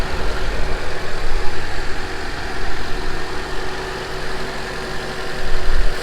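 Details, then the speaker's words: Honda CRX (ED8) after throttle body swap and temporary coolant hose fix, no leaks, warming up: steady, even low rumble at idle, no misses, hisses or knocks; normal idle. "Alright guys, so it's running pretty good. That works for now. No leaks."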